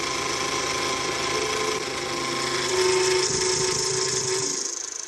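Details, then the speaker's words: Big Daishowa spindle speed increaser on CNC mill, 1/4 ball end mill cutting hardened 1095 steel, heavier cut than before: high ringing squeal over spindle whine, wavering then easing as cut stops; heavy chatter. "oh that's about a 60,000 steps of cut so it is it is pretty heavy I wanted to go a little heavier um than I was before but we're getting a lot of chatter"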